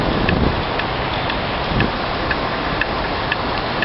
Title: MED#11 ASP-02 Abnormal Sound